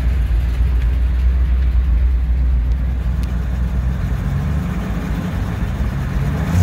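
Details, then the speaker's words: 1959 Chevrolet Apache 3100 pickup V8 running for the first time in over 20 years of sitting, with a fuel leak: a deep, steady rumble with revs rising slightly, running smooth and even. "got not bad first time running over 20 years 1959 Chevy Apache"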